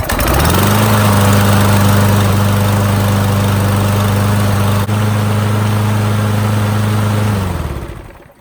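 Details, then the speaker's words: Toro Super Recycler mower with a brand-new Briggs & Stratton engine, ethanol-free fuel and Redline 10W30 synthetic oil, started on first pull: steady, even low drone with no misses or knocks, winds down at shutoff; normal running. "first pull, literally brand new engine, one pull. Sounds like a beast. It's running like a champ, and I'm happy with it."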